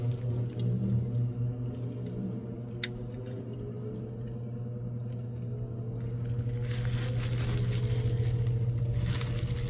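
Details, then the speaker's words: Old KMT brass HO PRR diesel switcher model locomotive running after drive-shaft tubing replacement: small motor whirs under uneven scraping clicks, about three or four per second; slipping from cracked plastic drive gears. "sounds like a slipping gear yeah all right you're going to have to go inside something's not right"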